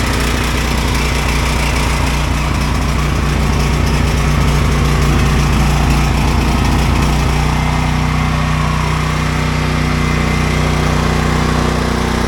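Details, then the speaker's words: Ryobi generator that wouldn't run, now running after most of the carbon monoxide shutoff wiring was disconnected: steady single-cylinder thump at even speed, settling to a smoother drone; running normally. "So I got this running."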